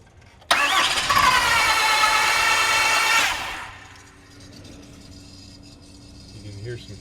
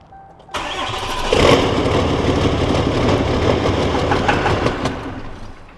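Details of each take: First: 6.7L Cummins no-start that cranks as if it had no compression; the valve train moves and no broken valves are seen: a quick, even crank for about three seconds with no catch or firing, then quiet. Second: 6.7L Cummins diesel that had cranked like no compression and wouldn't start: brief crank then steady even diesel idle with no misses, a little smoky from old fuel; normal start and idle after fix.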